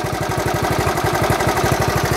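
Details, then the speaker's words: 1970 Honda Trail 70 single, restarted after sitting drained for years as office art: quick, even putter around ten beats a second with no misses or knocks; owner says it idles perfect, a normal healthy idle. "but she does run she idles perfect Wright's work good just a fun little bike"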